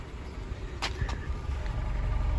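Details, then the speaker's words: Honda City running on CNG at idle, brought in for stumbling on gas after coil replacement: low, even exhaust rumble with no stumble or skipped beats; normal idle. "เสียงท่อก็เพาะดีนะเหมือนไม่มีอาการนะคันนี้โอเคเดี๋ยวเราจะตรวจเช็คระบบแก๊สกันนะครับ"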